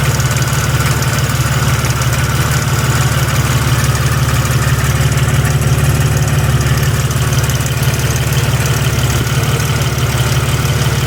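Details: Jeep Grand Cherokee WJ 4.0: steady light tick about three times a second over smooth low idle from engine-transmission end; owner suspects flex plate, shop thinks torque converter more likely; unconfirmed ticking at idle.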